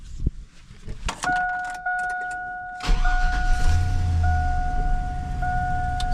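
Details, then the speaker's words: 1999 Chevrolet Silverado after tune-up with new spark plugs, plug wires, cleaned coil packs and new valve cover gaskets: chime, then quick start settling into a smooth, even idle with no misses or ticks; normal start and idle. "Smooth as butter. This thing runs so good."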